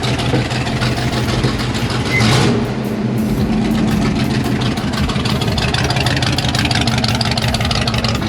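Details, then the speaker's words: 350 V8 with side pipes, in shop before road test. Loud deep burble catches and settles into even, steady idle, no knocks or misses; healthy start-up. "Just a good sound at the end of the day. It's been a long, busy day. Good to hear that start up."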